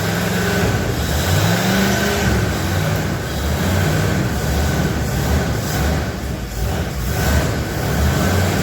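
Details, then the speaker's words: 1977 Ford F250 4x4 barn find V8, first run after a new fuel pump, old used 2100 carburetor with working choke: low steady rumble with slight waver from the carb; normal running. "run okay well that carb isn't the best it's an old used 2100 carb um the chok's working okay [Music] it sounds pretty good I'm happy with that"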